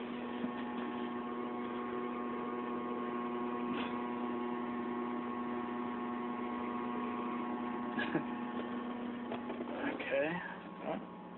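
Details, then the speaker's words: 1993 Mazda Miata after swapping the old Denso fuel pump for a Walbro: steady, even electric pump hum with the engine quietly ticking over; the idle is settled and better than the earlier roughly 500 rpm. "okay I hear the fuel pump working I'm not sure if it's supposed to be a constant home or not but I'm gonna find out"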